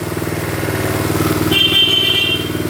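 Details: 1972 Honda CT70 single, bought at auction with a bogging problem, idling steadily in neutral after rewiring, horn briefly sounding over it during the light and horn check; runs without smoke: normal idle.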